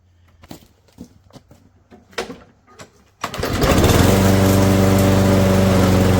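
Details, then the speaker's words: Junked Toro mower with a ready-start (no prime, no choke) engine, freshly fueled, catches at once on a pull and settles into a steady, even buzz with no misses or surging. Normal running. "All right, I just got to stop it right there. What? First pull? Are you kidding me?"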